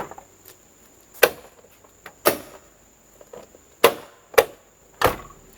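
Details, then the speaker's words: Bitter SC car door swung open and shut through its two detent positions: loud, sharp knocks from the door check (catch) mechanism. Its mounting nuts were found tight. Suspected worn rivet/rod hole or loose mounting. "And somehow this is making a noise. I do not know yet where it comes from."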